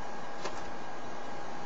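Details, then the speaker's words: PS3 fan test after a factory restore failed to fix a disc that won't read: hold eject and flip the back power switch; a steady airy whoosh with a faint constant hum and no rattle or grinding as the fans run at full speed. "the fan test is you hit the back switch to turn it off you hold the eject button and hit the back switch as you can hear the fans are running it is doing it fan"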